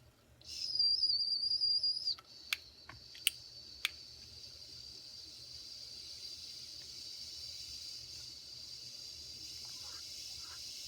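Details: Circa 1946 Watt Victor electric-heated toy steam engine after repair, reheated toward about 250 degrees: clear, steady high whistle for about a second and a half, then cuts off with clicks; whistle working properly.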